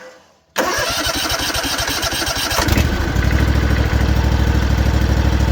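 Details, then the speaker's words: Cub Cadet mower's Kawasaki FR730V twin after its 50-hour oil change (full synthetic), cranked to build oil pressure: about two seconds of cranking, then a clean catch and steady, even idle; sounds healthy. "That sounds sweet. Sounds real good."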